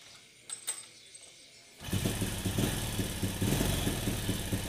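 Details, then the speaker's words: Carbureted motorcycle that fouls its spark plugs black, with valves set to 0.05 and the carb air screw not yet adjusted: engine catches and idles with an uneven, hunting beat that never settles; unstable idle. "Oke, motornya hidup ya. Nah ini olinya keluar semua normal. Nah ini kena pantat karburator. Cuman suaranya nggak stabil nih ya, kayak gitu ya."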